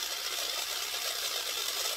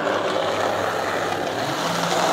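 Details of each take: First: Lima Class 55 Deltic model loco motor, after oiling gears, powered straight from battery terminals: light even high-pitched whir with no catches or rattles; motor spins freely and smoothly. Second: Lima Class 55 Deltic model loco, secondhand non-runner, after cleaning and oiling: runs but loud steady whirring buzz; very noisy.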